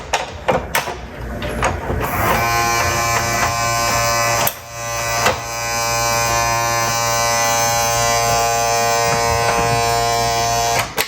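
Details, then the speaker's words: RCA SJT 400 CED player opened up, loading gears and fuses checked okay: steady coarse buzz at one pitch for several seconds while loading stalls; loading motor straining against a bad drive belt. "something wrong here whatever is wrong in here is what's keeping me from loading"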